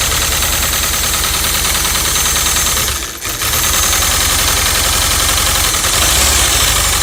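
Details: VW Vanagon Westfalia after sitting, new spark plugs and refreshed fuel: engine settles into a steady idle at about four beats a second after a brief dip, running evenly with no knocking; normal idle.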